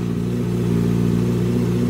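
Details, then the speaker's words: Yamaha R6 project engine after valve clearance check, top end and cams looking okay: busy idle with a light metallic rattle that comes and goes, also when revved; cause unknown, oil pan to be dropped next. "And it sounds okay right now, but what happens is sometimes it sounds okay, sometimes got that rattly noise."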